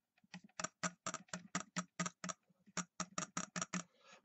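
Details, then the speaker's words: Mercury inline-6 outboard switchbox bench test with jumpers powering and grounding it: crisp, sharp snapping ticks about four per second across the spark tester, steady and strong; switchbox good. "when we ground it you see hear it snap and that's checking the switch box"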